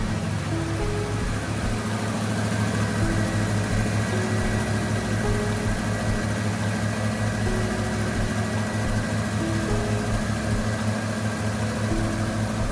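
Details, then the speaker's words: Abandoned 1995 Ford F250 after a tune-up with new spark plugs and fresh gas, run briefly without coolant. It gives a steady, even low idle with a smooth beat and no knocks or misses. "I think the old girl just needed a tune-up. Fresh gas, but she's sounding pretty good."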